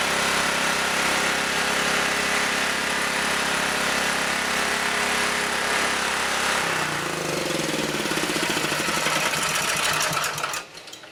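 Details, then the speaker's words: Auction generator, first run on a new spark plug with the adjusting screw backed off, still partly choked: fast, even single-cylinder chatter holding steady about ten seconds; runs properly and generates. "Alrighty. She runs and she generates. I think it's a good thing I backed that screw off."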